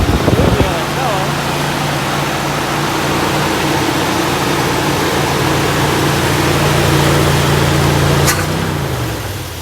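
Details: 1964 Buick Electra on first start after swapping the Rochester 4Jet carb for an Edelbrock 4-barrel, with the vacuum hooked up and the trans vacuum modulator rerouted. Steady, even low idle hum with no misses or knocks, settling smoothly before shutdown.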